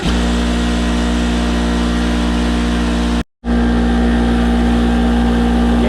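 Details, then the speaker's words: Craftsman 220 V, 6 hp, 33-gallon twin-cylinder oil-free air compressor after replacing its leaking regulator: loud, steady drone with strong low hum and even pumping rhythm, no knocks or squeals; normal compressor operation. "Alrighty, so there is my 220 volt, 33 gallon compressor. This is a 6 horsepower compressor"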